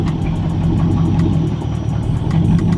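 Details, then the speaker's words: Dodge Charger SRT8 6.1 at idle: rough idle with a sharp, fast tapping around eight per second over the low rumble; engine knock, bad enough that it is barely revved for fear of it dying. "y'all hear this shot it's a terrible sound just terrible as hell"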